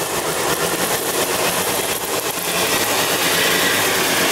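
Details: Mazda FC RX-7 13B rotary at first start after weeks of work, MAP sensor hose connected to the manifold; busy, choppy idle with a steady rapid pulse and no knocks or misses; normal idle.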